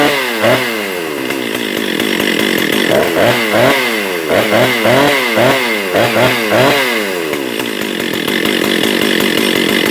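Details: Husqvarna 262XP/257 chainsaw, cleaned up, fresh fuel squirted in cylinder, possible water in cylinder cleared: saw snarls up and drops back in quick, clean blips with a crisp two-stroke rasp and no misfire; normal running.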